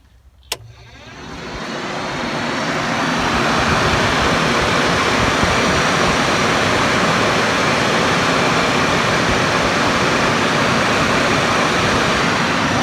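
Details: Newly installed Hayden Rapid Cool 16-inch electric cooling fan on an RX-7, switched on from the battery: a click, then a steady whoosh that builds over about two seconds and holds even. The fan runs normally.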